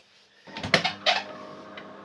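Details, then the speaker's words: DeLonghi ESAM04.110.S bean-to-cup coffee machine at switch-on: a few sharp clunks, then a steady low pump hum with a faint tone during the start-up rinse while water heats; the noise is abnormal, cause not yet clear, and the repairer expects it to get worse. "déjà les bruits me plaisent pas trop ça c'est rien mon avis ça va être pire"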